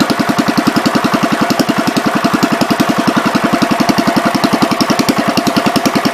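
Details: 1973 John Deere 110, at some throttle: fast, steady chuffing exhaust with a heavy, blubbery tone, running rich. Gas seems to run straight through the carb, and the owner suspects the needle is hanging open.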